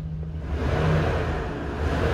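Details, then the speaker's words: 2012 Chevy Express 3500 van, 6.0 L LS V8, six-speed, 201,000 miles, 4,400 engine hours: deep, even note swelling smoothly as it is blipped, no stumble, misfire or smoke; engine healthy. "sounds great and it's got ice cold AC four thousand dollars people it's a 15 passenger van just like just like a church fan [Music] this thing runs so good it's not misfiring no smoke whatsoever"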